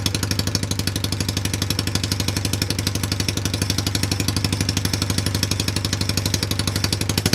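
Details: Cheap Chinese ATV with a bad CDI, run off a jumper pack with the coil trigger wire jumpered: a steady popping beat of about four firings a second, even and unbroken, picking up slightly at the end; normal idle, clutches bad.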